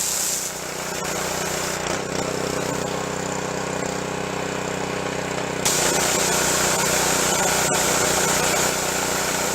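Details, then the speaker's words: Junk pressure washer, small engine with replaced pump, tested after repair: steady, even engine drone under hissing water spray, no knocks or surging; normal running. "pump was replaced I think I made a video of that and let's try it out down here"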